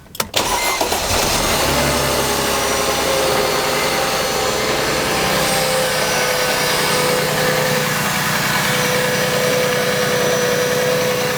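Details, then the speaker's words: 2006 Mercedes C230 (first-generation balance shaft sprocket of a different metal that wears, letting the timing chain skip): on cold start a loud constant metallic clatter over fast idle, fading slightly as it runs; timing chain rattle. "do you guys hear that on Startup the loud clatter and it's pretty much always there it just gets a little bit more faint as it's running a little bit longer but you could definitely hear that timing chain clatter he was talking about"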